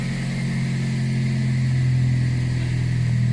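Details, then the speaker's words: Fiat Seicento 1.1, Marelli IAW59F ECU, formerly no-start with U1600 immobilizer fault; after immobilizer disabled in the ECU the engine runs a smooth, even low idle with no misses, knocks or rattles: normal idle. "Βγάλα με το immobilizer και καταργημώ το immobilizer και παίρνει προς."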